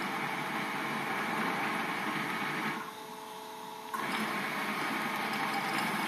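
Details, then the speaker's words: Servo-driven FamiLAB CNC after moving GeckoDrives next to the motors and tuning, 60V motors run at 48V: quiet, even whirring motion with a brief pause, no grinding or chatter; slight vibration at end of travel, pillow block expected to fix it. "So it's very quiet. Really not making any noise here, it's just a little, you hear the motors a little bit, but other than that, it's actually running quite well."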